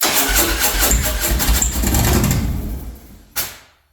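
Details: Engine cranks and catches unevenly for a few seconds, then dies with a final cough after a 10-second off period meant to let the IAC re-learn; a hard start, cause unconfirmed.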